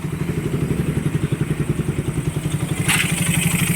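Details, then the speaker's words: Motorcycle after fixing owner's ticking noise complaint: ticking gone but fast regular clatter over idle, steady with engine speed, disappears when clutch lever pulled; suspected clutch housing or bearing, not pinned down; advised break-in. "Pero may problema ang clutch na. Kasi pag pinisel ko nawawala. Clutch na lang ang problema."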